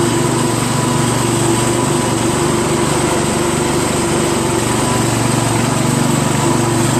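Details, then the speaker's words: Craftsman LT1000 lawn tractor after new drive belt install, test ride around the block: small single-cylinder engine hums with an even, steady beat, no misfires or knocking; runs fine, a little noisy. "Seems to drive fine. little noisy, but and the steering's kind of stiff. But made it back okay. Engine seems to run just fine."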